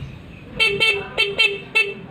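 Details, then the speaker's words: Yamaha New Vixion motorcycle stock factory horn, partly failed, before replacement with a Hella snail horn on a 4-pin relay: five short toots, thin reedy buzz with little body and some rattle. "Karena klakson bawaan pabrik sudah agak rusak. Tunggu, izinkan saya mendemonstrasikannya dulu. Bunyinya seperti ini."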